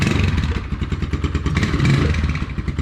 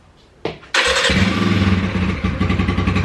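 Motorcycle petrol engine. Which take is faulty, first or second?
first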